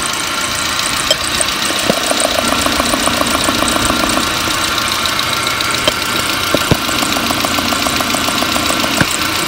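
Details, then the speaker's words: Fuel injectors at idle, heard with a stethoscope or screwdriver during slow-start diagnosis after the fuel pressure regulator tested fine: crisp, even ticking of two or three taps a second. All four injectors sound consistent and are in good shape. "all four of these injectors are in good shape but let's go ahead and listen to all four so you can hear the consistency"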